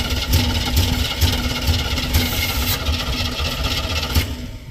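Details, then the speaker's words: Square-body dump truck sat about 10 years, flooded carburetor: cranks and stumbles unevenly with lumpy beat and rattles, then dies; stuck carburetor float needle. "yeah I'm going have to pull a top of the carb off see if I can get the needle quit being stuck"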